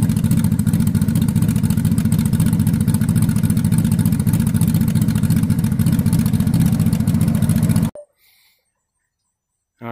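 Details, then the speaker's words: Honda motorcycle after idle lowered from about 1100–1200 rpm: steady, even low thump at a relaxed idle with no misses or knocks, then shuts off; normal idle. "so as you just heard that's the way the honda sounds now that i adjusted the uh the idle when i lowered it because it was running about 1100 or 1200 at an idle"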